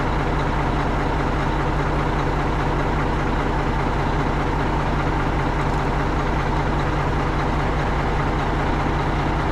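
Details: Tri-axle dump truck diesel after a roughly $5 no-start repair (dead battery diagnosed with a load tester, dielectric grease used), deep steady rumble at an even idle, no misses or knocks; idling cleanly.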